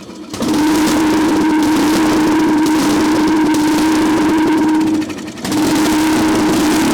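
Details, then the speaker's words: Craftsman LT1000 riding mower, sat outside roughly five to ten years, carburetor removed with fuel poured straight into the cylinder; loud raspy steady buzz, dies briefly and catches again; exhaust has a hole, fuel not passing the carburetor. "good little noisy has a hole in the exhaust that's for sure she's loud so all right that's good I just wasn't able to get the um fuel pist the carburetor"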